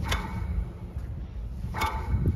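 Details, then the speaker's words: VW Transporter van wheel spun by hand: low rumble broken by brief, intermittent, really gritty rasps from a worn wheel bearing on that side; discs and pads also worn. "Every now and again there's just a really, really gritty noise coming for this wheel bearing. So I think definitely a wheel bearing on this side and discs and pads."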